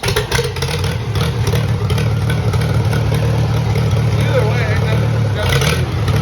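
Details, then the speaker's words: Old tractor, hand-cranked for the first time after sitting over four years, chugs unevenly with a loose, irregular beat and some clatter; runs rough, owner suspects a carburetor or mud dauber issue, not confirmed. "I did actually hand crank this tractor for the first time after sitting for over four years but uh seems a little bit of a carburetor issue maybe a little bit of a mud gobber issue"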